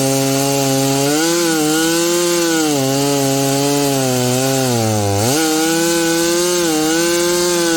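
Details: Husqvarna 572XP chainsaw rebuilt from used parts, milling planks: strong, clean two-stroke howl holding steady in the cut, dipping briefly under heavy load then recovering; normal running under load.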